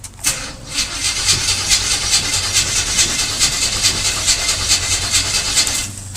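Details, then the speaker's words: Square-body 454 V8 right after an Edelbrock-to-Holley carburetor swap: even starter cranking around two beats a second with faint attempts to catch but no start; carburetor likely just a little flooded, probably no adjustment needed. "all right I don't think I needed any adjustments actually think it was just a little flooded let's try again"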